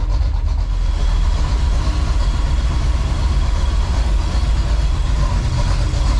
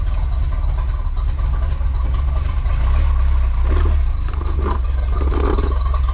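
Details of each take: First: 1984 Chevy Silverado with swapped-in 350 V8 warming up in cold weather, idling in gear; oil is fuel diluted. Deep, even burble with no knocks or stumbles. Normal idle in gear. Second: 1984 Chevy Silverado after a 305-to-350 swap: the deep V8 idle sags when put in gear and slowly recovers; the new carburetor is suspected, not confirmed.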